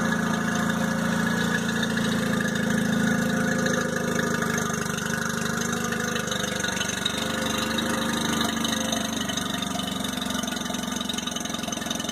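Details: 2002 Mercury 15hp four-stroke outboard, first start of the year after storage and a lower-unit fluid change, on earmuffs in neutral after a little choke: it settles into a steady low idle burble, even firing, no misses or knocks while warming up. Normal idle.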